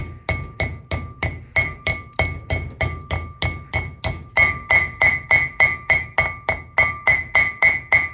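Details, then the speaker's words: 1971–73 Mustang/Cougar wheel bearing seal driven in with a hammer: steady blows about three a second turn to a sharper ringing tink near the end, the tinking noise showing the seal is fully seated and good to go. "Now, the seal should be all the way down. When you hear that tinking noise, it means it is good to go."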